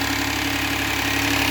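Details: After a DIY oil change with a paper oil filter on a push-button-start Hyundai: smooth, steady idle with an even hum, no ticking or knocking; no leaks or dash lights, engine healthy.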